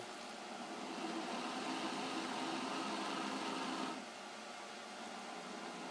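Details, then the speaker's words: Ballscrew turned by hand with a power drill gives a steady, even whir with no grinding or catching, unlike the grinding it made when driven by the stepper/servo motors; owner suspects misalignment caused that. "not making those weird grinding noises that the motor was servos steppers were making i think it's misalignment"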